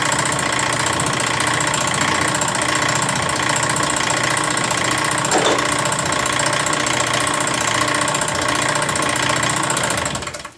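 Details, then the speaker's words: Restored Postel die filing machine, first test run after motor mounted and pulleys aligned with a straight edge; expected to be noisy, machine walks and vibrates. Rapid steady clatter about 220 strokes a minute, even throughout: normal running. "The motor is mounted, it's ready to test run. I suspect it'll be kind of noisy."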